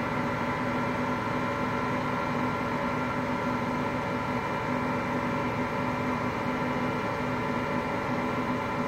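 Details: Hotpoint Aqualtis washing machine, bearings just started to go today: constant even rumbling roar with no let-up while the drum turns; drum bearing wear.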